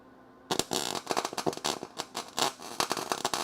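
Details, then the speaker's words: MIG welding frame rail pinholes on the Crew Cab Charger: erratic sharp pops and crackles instead of a steady sizzle, meaning the weld is burning through thin, rotten metal with no good metal left. "You hear that? That's not the noise you want to hear. Damn. Well, that just means there's no good metal in there, which is fine."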